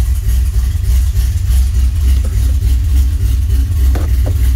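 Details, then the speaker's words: 1981 DeLorean converted to carburetor, A/C compressor disconnected: smooth even low idle around 750 rpm, no ticks or knocks; 6 psi, alternator charging, oil pressure great; idling healthily. "Idle, it's around 750. I may bump it up a bit, but oil pressure's great."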